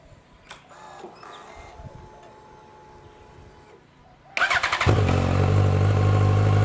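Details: 2006 Yamaha FZ1-N on the fully stock exhaust, before the Two Brothers slip-on swap: quiet, then a quick crank, and the four-cylinder settles into a deep, even, steady run. Free revving to about 7,000 rpm follows; normal start.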